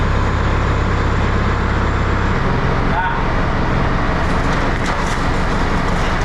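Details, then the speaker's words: Tractor pulling an implement never used before during wheat sowing in wet conditions, top speed about 3–4 km/h; the deep diesel drone sags and pulses unevenly, and the owner says it demands too much horsepower for the tractor. "bon vous l'entendez mais le tracteur il en peut plus ça demande trop de chevaux en fait"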